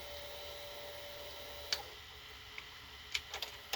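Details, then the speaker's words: Late-1980s Samsung VT7253CC mono VCR on rewind: a steady, soft whir of tape spooling with light mechanical ticks. Pinch rollers are soft and it rewinds normally. "rewind and everything in here seems to be working wonderfully the pinch rollers nice and soft"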